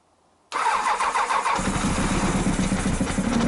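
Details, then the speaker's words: Honda CBR1000F, kill switch on, cranked on the starter with no petrol in the tank: starter whirs and the engine turns over in even pulses but never catches; cranks but won't start, out of fuel. "kill switches on [Laughter] no petrol in it"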